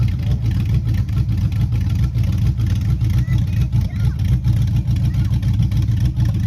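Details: Chevy Silverado 5.3 V8, 4WD, rebuilt after a bent rod: 0.020 over pistons, Summit stage 1 cam, beehive springs; a hung injector was fixed. Running: a deep, loud rumble with steady lumpy cam pulse, no knock or tick under revs. Healthy.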